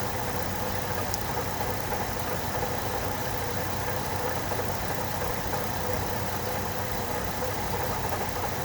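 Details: 2006 Chevrolet Trailblazer 4.2L inline-six at steady idle with a dull, muffled knock under the engine note from a worn water pump bearing; replacing the water pump made the noise go away.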